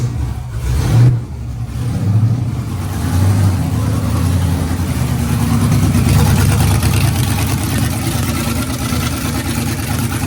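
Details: NBS single cab truck V8, Holley ECU with fuel pump at 60 psi, first start after a weak battery cranked only about 100 rpm: catches, flares with a couple of blips, then settles into a steady, even idle without misses; new engine running fine.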